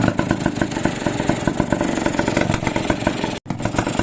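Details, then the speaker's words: Motorcycle after engine overhaul, sound check at idle: steady even idle pulse with light exhaust chatter; engine quiet with no knocking, only the exhaust/muffler rattling. "Tahimik makina yan oh. Tambutso lang yung natitrip yun."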